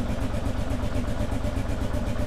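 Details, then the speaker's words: 2001 Kawasaki KLR650 after sitting about 4 years, first start with a new battery and spark plug and a cleaned carburetor, choke not controllable: even single-cylinder thumping at idle while warming up, sounds okay, with the typical KLR little squeak. "Sounds okay. Sounds like a KLR. It's got that little squeak."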